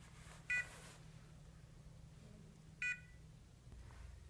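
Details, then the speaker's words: Liberty safe keypad lock in five-minute penalty lockout after repeated wrong codes: lone short high chirps about every five seconds in a quiet room, no key presses; valid code works once beeping stops. "once that beeping is stopped then you can go ahead and enter a valid code and it will operate as normal"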